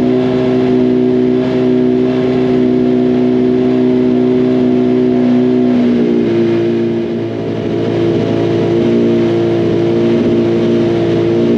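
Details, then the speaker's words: Freshly rebuilt 2006 first-gen Hayabusa engine on its fourth break-in heat cycle before dyno: strong, steady note that steps up in pitch as it is revved, smooth and even with no knocking or rattling. "We got the that's the fourth break-in cycle we've put in on this engine since we got started up. So what we generally do when we're looking to break an engine in is we're putting it through heat cycles."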